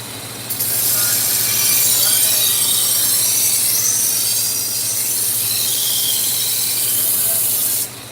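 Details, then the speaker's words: Harbor Freight 1x30 belt sander whose speed control quit mid-sharpening a week or two ago and sped up; hard, high hissing rush of belt holding one fast pitch; runs flat out, way too fast, replacement control unit coming. "The speed control stopped working on it. While I was sharpening a week or two ago, it just sped up. And so now the speed control doesn't work at all."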